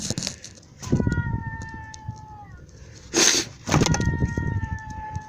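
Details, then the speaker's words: 1999-2000 Suzuki Grand Vitara 2.5L overheating, belt removed: water pump spun by hand gives a thin high whine, spinning freely; worn bearings, bad pump diagnosed instead of suspected head gasket; fix is new pump and thermostat. "now watch what happens when I spin the water pump I don't know if you can hear that whining noise first of all that's a free spinning water pump that's bad"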